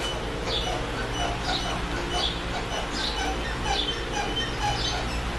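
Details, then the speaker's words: 2004 GMC Yukon, body pushed down at the front bumper; thin high squeak about once a second following each push over a low hum, a suspension squeak also heard while driving. "Notice when I push down on my bumper, and over in here, you can hear this noise."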